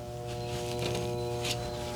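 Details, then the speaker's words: Red Oak, TX condenser with separate fan and compressor capacitors: only a steady electrical hum with no fan blade whoosh, contactor LED normal; the fan isn't running because of a bad 15 µF fan capacitor. "The fan there's no fan running. So what we have is a bad 15 microfarad capacitor."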